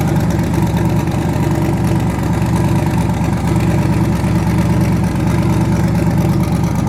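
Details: Twin-turbo V8 truck, now running on eight cylinders instead of seven after an earlier dead cylinder was fixed (rockers suspected): deep, even idle with steady lope and no stumbles or skips; normal idle.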